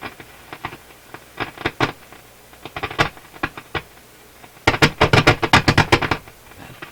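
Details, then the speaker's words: Nordmende console tube radio after replacing defective FM tube, at full volume: irregular crackles and sharp pops clustering toward end; distortion from a fault beyond loose pins. "Sounds like something more than just a loose two pins."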